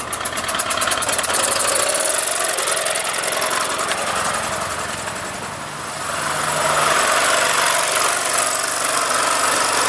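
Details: Solex two-stroke moped after replacing worn parts and a broken fuel pump: a busy, even buzz holding steady around idle with no misses or knocks, running properly.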